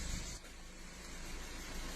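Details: 2015 Volkswagen Golf 1.4 TSI in freezing weather, codes for misfires on multiple cylinders: idle with a low, uneven, lumpy beat; live data showed misfire on cylinders 1 and 3; plugs and coil packs to be checked.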